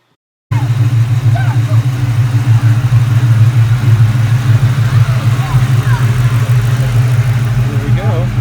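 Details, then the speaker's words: 2003–2004 Ford Mustang Mach 1 4.6L V8 idling nice and steady after an IAC swap to cure a hanging idle; smooth, deep rumble with no hunting. Idle later crept up and hung again once warm while driving around town. "but I did put it on the car and it ran fine for the first little while see here is the car idling nice"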